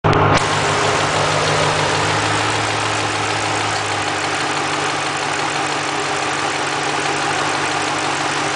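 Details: 2005 Mustang GT V8 idling steadily with a light, fast ticking clatter; identified as normal cam phaser noise, nothing wrong with it.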